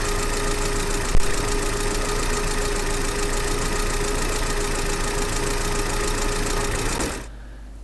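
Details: GAZelle Business with a UMZ-40216 engine after its cracked cylinder head was replaced: steady tappet knock at idle, about four per second, then shut-off. It is addressed with a rocker arm whose hole is offset 1.5–2 mm.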